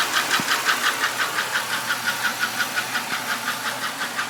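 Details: 1996 Buick Skylark, 3100 SFI petrol V6, about 150,000 miles: a sharp, even tick at idle, about three per second. It started after switching from part-synthetic high-mileage oil to full synthetic and is heard until higher revs drown it out. It barely eases when warm and the spark plugs were checked; the owner suspects lifter tick, piston slap or knock.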